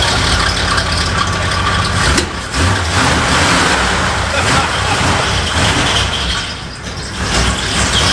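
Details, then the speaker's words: 1966 Cadillac DeVille V8 on first start after about 30 years in storage runs rough and unsettled, speed wandering; suspected choke stuck on, filling with fuel and blowing black smoke. "yeah might have a joke stuck on and blowing big black clouds I bet yeah it seems like it filled up with fuel and it was just dumping in"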